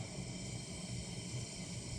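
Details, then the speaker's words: Coleman military gasoline lantern, lit after preheating, 20 pumps: soft, steady hissing roar with no sputter or pulsing as the burner takes off; runs evenly, though slight flare-up from a suspected leak around the generator. "so you can hear it now starting to take off"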